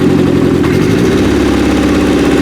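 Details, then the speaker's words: 1995 Acura Integra LS, turbo B18 built motor, aftermarket cams, eBay turbo: loud uneven lumpy idle, misfire; a plug boot wasn't fully seated. "That one's good. Those two cylinders. First one. That's 100% dead."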